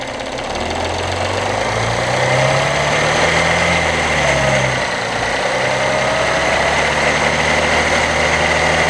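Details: 2016 Audi 3.0 TDI diesel with a rapid, somewhat uneven metallic rattle around 1500 rpm, just off idle, over the diesel clatter; timing chain noise, with a clogged or restricted tensioner suspected, not confirmed.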